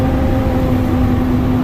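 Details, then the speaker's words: Combine separator test before wheat harvest, with the chopper in neutral: a smooth steady hum with a constant low tone and no knocks or rattles; sounds and feels smooth. "Listen for weird noises. Sounds smooth. Feels smooth. It's spinning."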